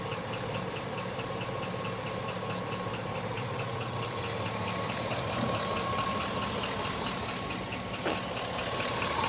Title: Engine knock #3 05 GMC Sierra